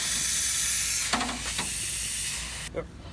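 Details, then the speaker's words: OBS Ford 7.3 Powerstroke with no A/C, empty system being charged with refrigerant: sharp steady gas hiss that cuts off, then handling clunks; leak found at the condenser behind the trans cooler, condenser likely needs replacing. "I mean, I hear it hissing. It sounds pretty loud. You feel it? It's down there. Your condenser. Oh, it's at the condenser."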